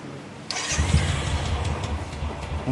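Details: Royal Enfield Classic after the starter one-way bearing repair and fresh engine oil: brief starter whirr, then a clean catch into an even, low single-cylinder thump with no slipping or clatter; healthy start.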